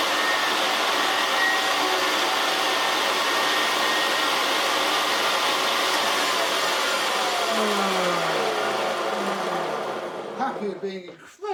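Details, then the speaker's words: Hoover Senior 652A upright vacuum cleaner, running with belt fitted: coarse, rough gritty roaring whir, winding down at the end; rough noisy motor. "This is sounds horrible."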